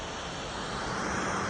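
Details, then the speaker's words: 2018 MacBook Pro 13-inch: loud, steady airy rush with a faint low hum; noisy because the cooling fan is worn and loose (oblak). "Penyebab suara fan MacBook Pro 13 in tahun 2018 ini suara fannya berisik itu karena fannya oblak."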